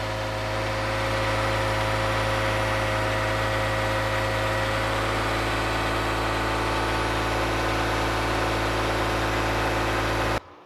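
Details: 2015 Toyota Sienna AWD 3.5 V6, after replacing donut gaskets and bolt springs on both sides of the rear catalytic converter: smooth, even idle with steady low hum, no puffing or ticking; exhaust leak repaired.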